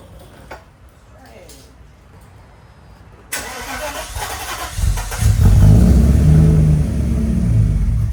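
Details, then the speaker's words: 1995 Mercedes W140 S500 after converting dual fuel pump to single pump: quiet, then brief starter turn, engine fires cleanly and settles into smooth, steady idle with no misses; normal start and idle. "well guys she is running beautifully now it's been a crazy day of trying to get her running especially with all this rain"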